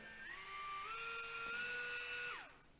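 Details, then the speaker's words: blö micro wearable cooling fan with aroma-oil slot, room 24.8°C, 50% RH, airflow about 1 m/s: high whine rises at switch-on, holds two seconds, then falls; louder than expected with weak wind, duct airflow suspected, cause unclear. "To turn it on, just press the button. The noise is a little bit loud to my expectation, and the wind doesn't feel so strong."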